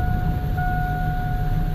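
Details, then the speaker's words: 2002 Chevy 1500 pickup with P0300 and no power, several transmissions replaced: lumpy, uneven idle thumping with a steady whine, engine shaking badly; fuel pressure holds 42–43 during injector balance test, cause not yet found. "thing shakes like crazy"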